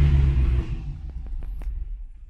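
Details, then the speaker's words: Corvette Z06 with new Texas Speed heads and cam, after startup tuning: fires with a deep heavy burst, then drops to a low, even rumble; now starting well, tune sounds right, not yet dyno-tuned. "I don't know why it started better the other time now there you go so now it seems like it's starting pretty good"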